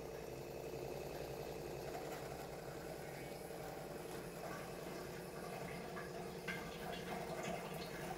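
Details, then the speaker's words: Kent Grand+ RO water purifier after a part was changed to cure a continuous beeping at start-up; beep now gone. Steady low pump hum with water rushing through, no beeping; normal operation. "देखिए on करते हैं जब ही आवाज आ रही थी starting में वह बिल्कुल गायब हो चुकी है"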